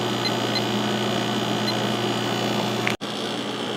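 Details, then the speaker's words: 1996 Holmes 5200 BTU air conditioner (WCI, LG compressor, McMillan fan motor, 6.2 A) in cool mode: constant low hum and steady fan rush, chatter gone after startup; running normally and quietly. "see if the compressor starts right now yep sure did and like I said it's kind of chattery at first but it quiets down after a while"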